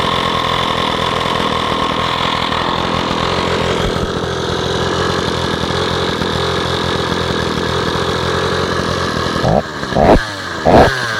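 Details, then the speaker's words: Stihl 045 AV chainsaw's first run after a brand new piston and rings, with no clutch fitted (drive drum only); steady, busy two-stroke buzz at an even idle with a few blips near the end. Normal, healthy running. "this saw has a brand new piston and new rings in it that's the first time I've heard it run"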